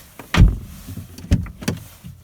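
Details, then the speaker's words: 2018 Lada Vesta door check strap after modification with tightened detent balls: a few firm clean clunks as the door swings and stops at each detent, no creak or squeak; squeak fixed. "открываем остановилась толкаем дальше Остановилась и закрывая всё идеально и нет у нас никакого скрипа скрипа вообще никакого нету фиксация чёткая просто идеальная"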